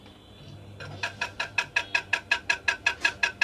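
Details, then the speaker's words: Ceiling fan gives sharp, even ticking about three times a second only while powered; the noise stops as soon as the power supply is cut. Traced to unevenly tightened cover nuts buzzing against the housing. "তো সমস্যা হলো ceiling fan যখন চালু হয় তখন আওয়াজ হতে থাকে, নয়েজ হতে থাকে এবং যখন পাওয়ার সাপ্লাই অফ করা হয় তখন নয়েজ বন্ধ হয়ে যায়।"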